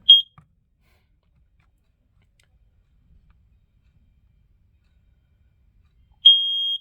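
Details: Shrill beep near 3 kHz: a brief chirp, then a steady tone about six seconds later. A smoke alarm of uncertain sensor type (owner thinks ionization) sounding normally on test; owner notes the alarms are getting old.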